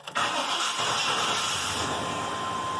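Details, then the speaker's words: OBS Chevy truck with long-standing hard starting, started before fuel pressure was keyed up: quick catch after brief crank, settles to steady even idle, burning off rich mixture; starts better than before. "better than it used to let it run a little bit burn out the rich mixture it had"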